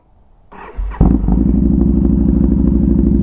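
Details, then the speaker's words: Motorcycle that keeps dying, owner believes from not being ridden enough, restarted after it died at the girlfriend's house. Short crank, then catches and settles into an even steady idle: clean restart after repeated stalling; cause suspected, not confirmed. "Bike's dead. Rode my skateboard to my girlfriend's house where it died. So, ginger beard's in full action. So we'll see if it starts."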